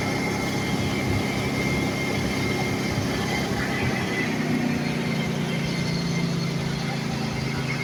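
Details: 1995 Ford F150 4.9 L inline six, emission equipment removed, just started after reconnecting battery in cold weather: steady, even drone at settled idle with no ticking or misses; healthy.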